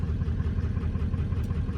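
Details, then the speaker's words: 1997 Ford F-350 7.3 diesel, unstarted for months, warm day: uneven lopsided idle with dropped beats and heavy white smoke, missing badly; an injector copper washer wasn't sealing, combustion gases took out the bottom O-ring and fuel dumped into the cylinder. "let me know if your truck does something similar to this right here [Music] being here it's missing pretty bad and smokes like a target now I'm just gonna go out on a limb here and say I got some sort of injector problem"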